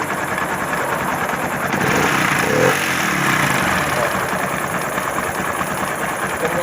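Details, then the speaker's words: Honda Pop 110i engine running with a rough, dry chewing clatter that follows the revs, sounding like it is running without oil; worn connecting rod knock. "Olha o barulho. Barulho seco, como se estivesse rodando sem óleo."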